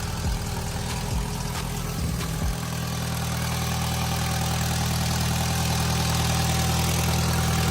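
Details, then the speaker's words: MK1 Audi TT turbo restarted after rocker cover gasket replacement with RTV cured 2.5 hours: catches and idles with a regular chuffing puff about three per second on the exhaust note; exhaust leak, blow sounding worse than before. "let's give it a well let's see what happens oh back up and running that blow on the exhaust sounds like it's getting worse"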